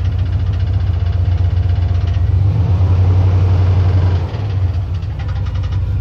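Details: 1990 GMC Sierra truck at startup idle, noise new today: loud rough low idle with uneven ticking and knocking about four a second; owner suspects it comes from the starter, not confirmed.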